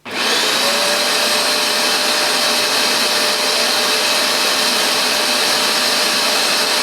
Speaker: the first time you use it you'll hear some gurgling noises that's just a solution starting to feed down